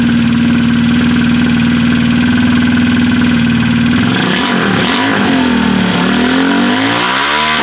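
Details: Freshly assembled Trailmaster 150 stroker single-cylinder engine with cleaned head and valve job: steady, even idle hum, then smooth free revs up and back down without misses; healthy.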